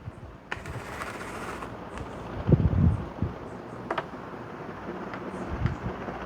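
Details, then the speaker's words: Vintage Brinsmead desk fan that fell off a bench, winding up on low speed: low, uneven rumble with loose knocks and guard rattle, wobbling the bench. Blades are out of balance, possibly from a bent shaft. "Oh, it's got a bit of a rock to it. It's wobbling my entire bench. Yeah, something's out of balance. Maybe the shaft got bent."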